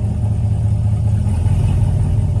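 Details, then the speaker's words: 2016 Camaro SS with recurring P0700 check engine code, restarted after warming up: deep V8 idle swells and sags on its own. Owner is unsure whether the throttle body, fuel pump or wiring is at fault. "like listen to that Idol like the idle ain't even sounding right look it's going up and"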